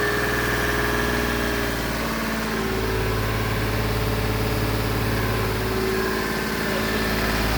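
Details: Turbocharged Lexus IS300 with VVTi 2JZ-GE engine, first start after four years of building, fresh wiring, fuel pressure sensor and wideband: steady even idle, constant low drone, no knocking or hunting; normal idle, though leaks were later found.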